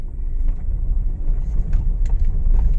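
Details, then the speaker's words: Honda Mobilio test-driven on a rough village road after tightening the loose front stabilizer link bolts (not replaced): steady low road rumble with only faint light taps and no clunking; suspension now quiet. "nyaman ya Bro Ya enggak ada bunyi seperti tadi bisa didengar halus tidak seperti sebelum kita Kencangkan link stabilnya ini walaupun enggak diganti tapi sudah tidak bunyi ya Bro ya Karena memang tadi kendor"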